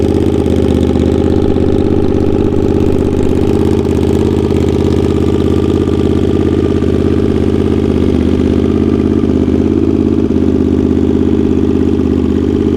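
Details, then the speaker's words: Honda GL650 at its first start after a full rewire: steady, even V-twin burble at idle with no misses, knocks or ticks. Stock headers with a crossover run into a merge and Cone Engineering muffler. Normal idle. "this thing sounds so good oh my god oh my god cone engineering mufflers on all the things"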